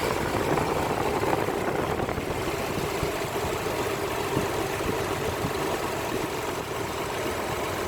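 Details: Nissan VG33 V6 idling with an uneven, breathy rush over the engine beat; owner suspects an intake vacuum leak, but it cannot be confirmed by ear.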